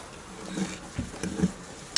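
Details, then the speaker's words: Ford Ranger MK2 broken front differential, bearing spun slowly by hand on workbench during teardown: uneven gritty rumble with dry rasps instead of smooth roll; worn rough bearing. "comes across to your little extension which will grab out the diff in a minute but it just you can [ __ ] hear it and feel it it's not happy"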